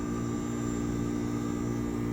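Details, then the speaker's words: HVAC unit not cooling: steady low electrical hum and drone of the compressor running with no fan whoosh on top; the fan is not turning, cause not yet diagnosed. "so we have a problem with an HVAC unit not cool now we can hear the compressor"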